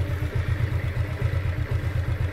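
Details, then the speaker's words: Smooth, steady low pulsing idle with no clutch-side rattle from a 2010 Yamaha Exciter (Ex 1 càng), phone placed right against the engine; strong-sounding engine, normal idle. "Ghê thiệt chứ. Máy kêu là máy gấu á. máy như quỷ."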